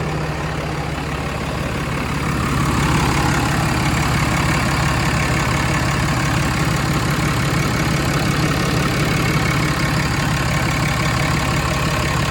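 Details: 2016 Ram 2500 diesel, new Fleece Cheetah turbo just installed to replace the OEM turbo with a faulty actuator: steady, even idle with smooth, unchanging clatter, no whistle, misses, surges or visible leaks; running healthy.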